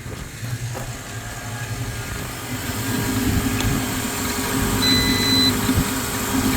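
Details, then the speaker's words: 2004 Honda Element rebuild project, just jump-started at idle, battery weak: engine runs with a faint steady whine over it from the power steering pump. "yeah you hear that power steering yeah all right I'm gonna let it run for long but it is running and this sounds good"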